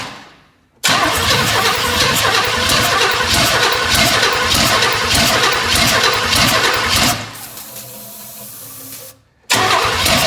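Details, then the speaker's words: 1984 Chevy Blazer engine being started on poured-in gas after refitting plugs and wires; ragged, uneven popping catches for several seconds, then dies back to a weak crank, and it won't keep running, with a big vacuum leak at the EGR and the back of the intake. "I know we got a big vacuum leak at the EGR"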